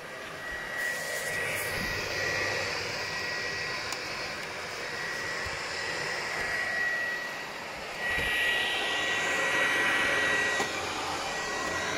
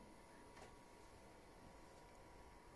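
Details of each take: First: PlayStation 4 Pro whose processor overheats: the cooling fan roars flat out like a vacuum cleaner; the fix is cleaning the processor and applying new thermal paste. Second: PlayStation 4 that overheated and roared like a vacuum cleaner, after the processor was cleaned and thermal paste reapplied: near silence with only a faint steady hum, the cooling fan now running quietly.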